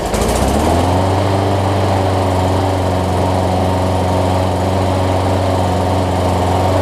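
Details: Brand-new Murray big-wheel push mower with a Briggs 300-550e series OHV single-cylinder engine, a customer return with a head gasket problem, running after the head gasket was replaced. It catches quickly and holds a steady, even buzz with no misses or popping.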